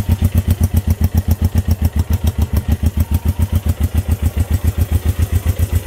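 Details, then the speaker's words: Honda CB350 on its first start in 13 years: a loping thump of about four pulses a second, with the beat missing where the dead side should fire. Running on one cylinder because one side's points are not sparking. "running on one side not full guys this thing is idling"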